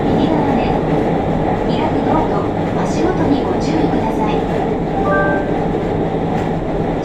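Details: JR Kyushu 303 series K01 set, car 4 (MoHa 303-1), rapid service between Shimoyamato and Hatae, recorded with the built-in mic directly above the Hakata-end bogie: violent vibration and a deep rough growl from around the traction motor that follows motor speed.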